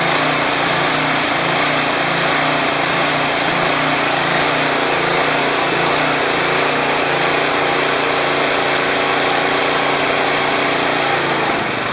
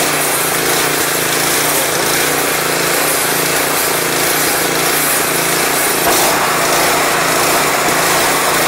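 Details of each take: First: Craftsman 179cc 22-inch snowblower (Powermore engine, previously surging), idling off choke after Seafoam was added, smoky at first. Steady buzzing drone with only a very subtle irregularity, no hunting or surging; normal, smooth idle. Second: Craftsman 179cc 22-inch snowblower (PowerMore engine) with old gas replaced by fresh gas and Seafoam, run off choke: engine surges, its buzz rising and falling unevenly; suspected clogged carburetor main jet.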